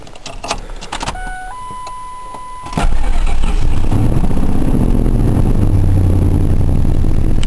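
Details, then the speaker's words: Truck brought in for a miss: chimes, then engine starts into a lumpy idle with a steady stumble; number four cylinder misfiring, spark and plug okay, traced to low compression. "pretty sure you can hear that uh hear that Miss it's pretty pretty pronounced but anyway I brought it into the shop there it was a Miss on the number four cylinder"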